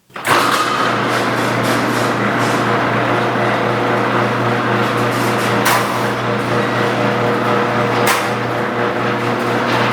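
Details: A garage door with old metal rollers, before they were replaced with nylon rollers, runs under the opener motor's hum. It makes a loud, continuous rattling clatter with two sharp clunks, like metal scraping metal.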